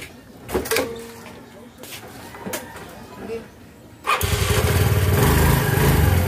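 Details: Mio Fino scooter after a new clutch cover was fitted: some handling knocks, then it fires and settles into an even, steady putter with no scraping or rattle; the drive sounds fine.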